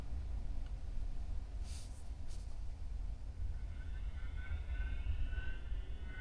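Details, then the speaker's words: Tesla Model 3 Performance, about four months old, cabin with internal mic off: quiet hum, then a thin high wavering whine when the cooled (ventilated) seat fan turns on; seat fan motor squeals, unlike another Model 3 that makes no noise. "it's kind of like a winding noise kind of like a a fan if you're blowing a fan but it's a like the motor is making a high pitch squeal"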